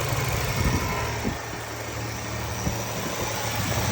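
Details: Toyota T100/4Runner 3VZ-E 3.0 V6, engine cold, check engine light on after a long crank: uneven, lumpy idle with occasional stumbles over a low rumble; rough cold idle, cause not yet pinned down.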